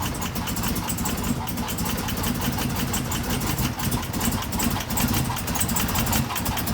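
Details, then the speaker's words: 2016 Chevrolet Camaro LT1 V8 at idle, with a factory fault that first seemed like bad gas. Lumpy, uneven stumbling misfire caused by the number 5 valve spring, cracked at the top; the valve did not hit the piston. "my number five valve spring they had cracked and even better cracked at the top meaning that the valve wasn't able to travel down far enough to hit the piston"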